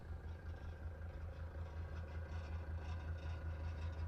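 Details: Mercedes 240D diesel junkyard car off the road about six years since 2017, just revived: soft even chug from the tailpipe, two to three pulses a second, slight smoke, no misses or knocks; healthy idle.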